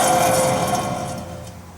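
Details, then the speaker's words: 2010 Dodge Journey 2WD, rear wheel bearing hub spun by hand before replacement: gritty, rough rumble with a faint ringing tone that fades as it slows; worn rear wheel bearing. "okay that sounds that's terrible okay I'm glad we're changing this one too"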